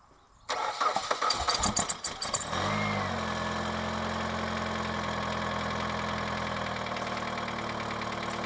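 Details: Mitsubishi 2.0 GDI (4G94) engine, after intake and EGR system cleaning, first start at idle with possible mass air flow sensor error expected: short crank, then catches and settles into a steady, even idle with no misses or ticking; normal start.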